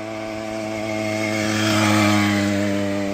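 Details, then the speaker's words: Motorized bicycle with a 66cc two-stroke engine, started after sitting three years. A buzzy, raspy note swells and eases back, firing cleanly with no misses or knocks, "like a chainsaw"; normal running. "Oh yeah. Sounds like a chainsaw. You'll do strokes. He's fun. Well, I'm glad we got it up and running."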